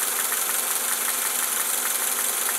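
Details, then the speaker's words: Honda Accord idling, heard through a mechanic's stethoscope: light, quick, even ticking over a hissy idle; excessive valve lash needing adjustment. "the valve lashing sticking up here that verifies that for me"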